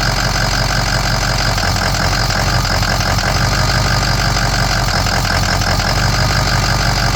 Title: 6.0 powerstroke rough idle no codes